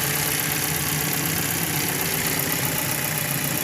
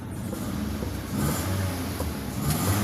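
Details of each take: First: Car previously misfiring and jerking despite new spark plugs and ignition coils, after a part replaced: petrol engine idles and revs lightly with a steady, even hum, no misses, stumbles or knocking; now okay. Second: Petrol car idling around 900-1000 rpm, blipped lightly: runs rough with an uneven, stumbling low rumble; misfire from a faulty fuel injector, still present after changing spark plugs and ignition coils.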